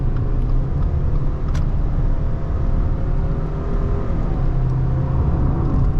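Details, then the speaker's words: 2021 Subaru Crosstrek Premium CVT, 12,248 miles, cruising at 70 mph on the freeway: steady, even road rumble and engine drone, no whistling or whirring. Drivetrain sounds normal. "Okay, so we're at 70 miles an hour, which is our freeway speed. I don't hear any whistling or whirring. Everything sounds like it's all together correctly."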